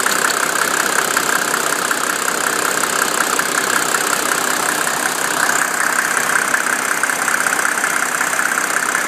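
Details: 1987 Mercedes 300SDL diesel with number 15 head, 119,000 miles, warm idle at 80°C: a light tick around 160 a minute comes and goes. It stops after a few minutes of driving and returns after a 30-minute rest; owner wonders about injector, vacuum pump, sticking valves or timing chain.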